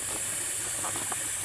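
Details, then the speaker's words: Astral 420 cartridge pool filter: a steady, even hiss of air escaping as the pressurized tank bleeds down before the belly band and lid are removed. No pump running. "Now again, it's still trying to let the air pressure off."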